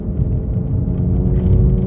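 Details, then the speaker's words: MK7 VW GTI with new XClutch Stage 2 clutch and single-mass flywheel, during break-in, running Red Line MT-LV transmission fluid: low, uneven shuddering rumble when pulling away under load, clutch chatter on engagement. "I hear that fluid does bring down the clutch chatter noise quite a bit but [Music] clutch chatter on this x-clutch with the red line"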